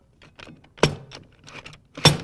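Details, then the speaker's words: BB 7229 transmission assembly: light metal rattling, then two solid clunks as the rear planet assembly drops fully into the drum and engages all the clutches, correct assembly. "Hear that nice clunk? That means it's settled all the way down in there and it's engaged into all the clutches."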